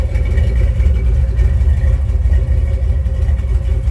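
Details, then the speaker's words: Dodge recorded at the tailpipe, with no cat fitted and vacuum leaks and fueling already ruled out; deep, uneven, lumpy burble that hesitates, holding revs for a few seconds then dropping back; owner suspects air starvation, not confirmed. "You can see it's got a little bit of hesitation to it. When I rev it up, it runs fine for a few seconds and it goes right back down. No, I don't have a cab in it. Hear it back here at the tailpipe especially."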